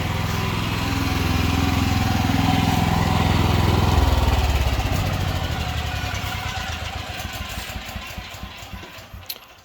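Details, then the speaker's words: Ridgid 6800W generator fitted with an external marine fuel tank, restored, jump-started off a car after a cold-start attempt, then run under a load test; steady low single-cylinder thrum that holds even, then softens toward the end; normal running, reliable. "This, it honestly is a pretty reliable generator."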